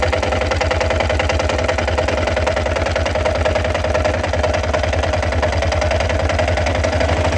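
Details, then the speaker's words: Yamaha XT 660 idling with an uneven, lumpy thump and busy mechanical clatter, seeming to misfire; owner suspects crankshaft or balancer bearings, possibly clutch bearings, unconfirmed. "O motorzinho parece que tá falhando, viu? Tá fazendo um barulho estranho."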